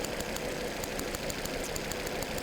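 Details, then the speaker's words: 2011 Volvo C70 misfire diagnosis: cylinder 3 known-good coil spark test, sharp crisp even snaps jumping about 1.5 inches, about 80% more than suspect cylinder 4; ignition problem, coils and plugs. "That is a long spark jump. Very healthy. It goes about 1.5 inches."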